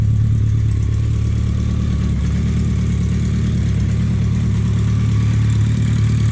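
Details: BMW K100 cafe racer build, first start after troubleshooting a no-start with temporary fuel setup; deep, steady four-cylinder idle with even throb, no knocks or rattles; sounds mean; normal idle.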